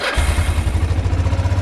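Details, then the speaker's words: ATV engine just after spark plug replacement, started by key: even, quick low thumping with no misses or stumbles as it settles into a smooth idle; new plug fixed it, normal idle. "And that's what it needed. New spark plug. Idles down real nice."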